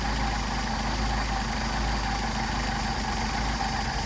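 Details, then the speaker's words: Mercedes 190SL Solex carbs, rebuilt elsewhere with poorly fitting sleeved throttle plates, test-run on a mule engine: steady low idle turning lumpy as the idle mixture screw is backed out lean; mixture screws offer too little adjustment. "you can hear the engine degrading the idle degrading i'll screw it out all the way so you can really hear it"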